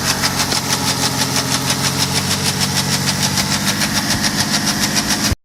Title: Knocking noise Bmw N57D30 525d f10 cold start